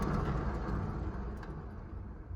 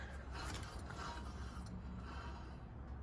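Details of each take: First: Honda Accent front wheel spun by hand: a deep, rough, rumbly growl from a worn wheel bearing that gets very loud above 40 and louder with speed while driving; the bearing needs pressing out of the hub and replacing. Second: Car jacked up in neutral with the wheel spun by hand: soft rubbing hiss and a faint brief high squeak, normal light brake drag on a car that has been sitting a while, not a wheel bearing.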